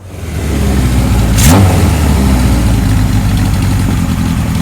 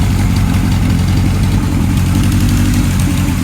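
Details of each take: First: 1978 Kawasaki KZ1000 LTD four-cylinder, rebuilt rescue bike, early test run: blips up from a loose, lumpy idle and settles unevenly; owner expects new rings breaking in to straighten it out. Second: 1978 Kawasaki KZ1000 LTD rescue project, four-cylinder with new rings breaking in, after wiring work: a loud, steady, even burble with no misses or knocks; idling smoothly.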